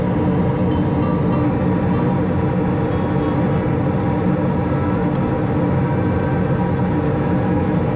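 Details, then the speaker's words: Gas furnace on second stage (W2 jumped) with all burners lit: deep steady burner roar, no surging, popping or flutter; manifold pressure rises to about 3.53–3.54 on a Yellow Jacket YJack manometer, normal high fire. "go ahead I'm gonna jump out W2 here and I can hear the increase in gas pressure and we are just about on the money at 3.54 3.53"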